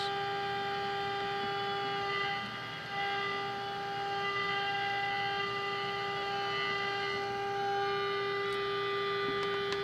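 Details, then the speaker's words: 1946 Sears Silvertone radio model 132.818 after repair, before trimmer alignment: steady low hum and fixed whistling tones with almost no station; very weak sensitivity. "Wow, pretty pathetic sensitivity. That sounds like frequency though, isn't it?"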